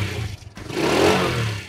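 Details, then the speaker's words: Old carbureted four-stroke motorcycle after an oil change to PTT Max Plus 4T 20W-40: engine picks up cleanly from idle into a short rev and settles without knocks or rattles; sounds smooth and healthy. "Jangan lupa kita idle mesinnya masih oke banget mesinnya nih tuh suaranya juga masih [Musik] halus"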